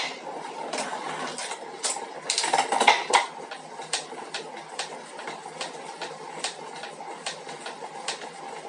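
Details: 2021 Elite Suito trainer making sharp, light knocks three or four times a second over a quiet whir while riding; the issue was reportedly fixed in 2021 models.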